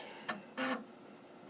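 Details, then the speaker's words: Amiga 1000 floppy drive loading a Workbench disk. Loud bursts of buzzy head-seeking chatter in quick, irregular spurts as the disk loads. The drive is stepping and reading normally. "and then it goes on a tremendous journey here and there and everywhere, and it's very loud to get everything loaded up and ready to go."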